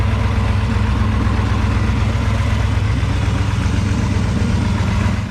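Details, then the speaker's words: 1992 Isuzu Amigo race truck with a 454 big-block V8, 750 Holley carb, not run in years and stored outside; deep, steady V8 idle with an even low burble, no misses or knocks; normal idle. "it ain't been run in years really it's been sitting outside let me see what she sounds like now all right let's see guys this thing a start got a pretty good sound"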